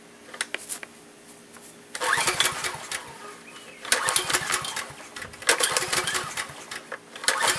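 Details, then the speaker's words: Generator unused for years, little old gas in tank, fuel valve left off: repeated recoil pull cranking bursts every couple of seconds, engine never catches; no start. "good it helps to turn the fuel on okay so I'm pulling my brains out and I'm going to find out why it's not wanting to start"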